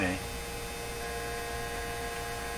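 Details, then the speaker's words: 1957 Chevy Model 561 car radio during alignment, antenna out: steady low buzz with a thin whining edge and no program audio; vibrator power supply buzz heard through the speaker. "but i may not recognize the buzzy sound from the speaker versus the buzzy sound from the vibrator that makes it pretty apparent"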